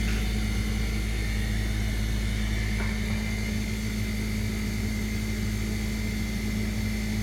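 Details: Maytag dishwasher during the wash cycle only: a sudden loud, steady low droning buzz with grinding vibration.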